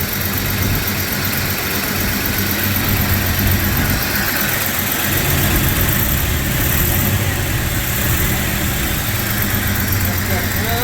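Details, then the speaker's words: 1996 Jeep Cherokee after new timing chain, harmonic balancer and distributor switched around: steady, even idle, constant low rumble with some hiss, no misses or stumbles, no longer vibrating. "and Hey look it's not vibrating like crazy come on sounds like it's happy again"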